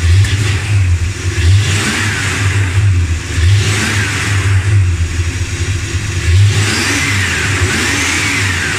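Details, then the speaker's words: Dodge Ramcharger after replacing pushrods, rockers and rocker shaft: engine blips up and settles back several times with a clean rise and fall and no top-end ticking; the tick is gone. "well it worked that tick is gone it's much better now"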